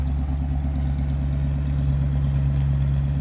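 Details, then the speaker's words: 1964 Mercury Comet Caliente convertible, Ford 302 V8 with dual exhaust: a deep, even burbling rumble at idle with a steady beat and no knocks or misses, running smoothly. "Nice little rumble coming out of that. Sounding good."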